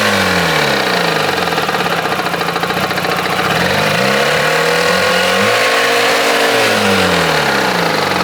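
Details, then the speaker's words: Jeep engine just after a jump start, at warm-up idle: a wavering, sweeping hum with an uneven beat of about three per second. Owner says something is spinning that shouldn't be; the cause is unknown. "I don't know if yall can hear that if y'all can't tell something is spinning it's not supposed to do"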